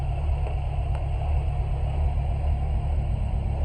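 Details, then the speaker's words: 1996 Chevy S10, first start after engine rebuild with milled head and lightly ported intake: low steady idle, even rumble, no knocks or ticks; runs quiet and smooth. "Sounds good. There we go, y'all. It's running. It's quiet."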